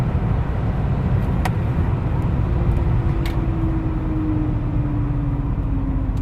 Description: W trakcie hamowania w zakresie prędkości 160 - 80 km/h słychać wycie.